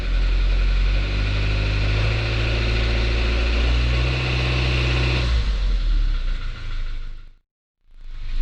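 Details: 2021 Suzuki Jimny Sierra JB74 past 15,000 km: dry metallic rattle (gara-gara, kara-kara) over the engine drone under low-rpm, light-throttle acceleration, easing as revs drop. It persists when warm, and the dealer later found and cured the cause.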